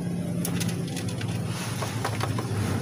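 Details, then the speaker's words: Motorstar Well 125 motorcycle (Honda Dash-type engine) at idle: tinny, irregular clanging from the cylinder/top end, like a can rattling inside; timing chain okay. Head starved of oil by a failed oil pump gear; top-end clanging from oil starvation. "Okay naman yung timing chain e Napansin niyo y yung latang may kalembang an may langis naman siya ay tigan natin tusin natin Ong head Check natin kung ano yang kalembang na yan parang may nangangaral sa loob eh"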